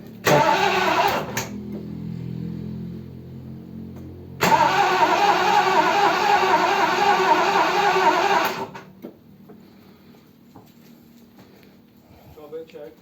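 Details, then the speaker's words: Triumph Stag V8, off the road about 20 years, after a top-end rebuild, first start attempt, no choke, in neutral: two long bursts of fast even cranking, about 3.5 turns a second, never catches. Fuel suspected, not confirmed; cranks but won't start. "Okay. What does that tell us? Seems like fuel, doesn't it, really? Get through. Well, it's got fuel."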